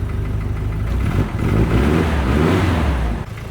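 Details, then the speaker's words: Petrol engine idling after a pinched MAP line was fixed. It is still smoking heavily, though not from the exhaust, and the coolant temp sensor reads wrong. A dull, hollow knock sits in the low idle rumble; owner suspects piston slap, not confirmed. "Wow, listen to that piston slap."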